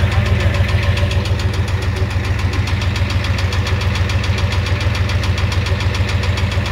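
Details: 1988 Ford F250 7.3L IDI diesel at idle with a high-pressure fuel line leak, white/grey exhaust smoke, smoke from the oil dipstick and oil in the add zone: a sharp, even knock about four per second over a rough idle. Cause suspected, not confirmed.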